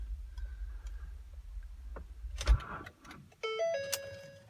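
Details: 3.5 L EcoBoost V6 jump-started at 0 °C with Motomaster Eliminator 1400 A booster charged within two weeks: dull thump, repeating dash warning chimes, engine doesn't catch; booster fails to start it. Owner suspects battery drained by 9 days sitting, dashcam, amplifier capacitor.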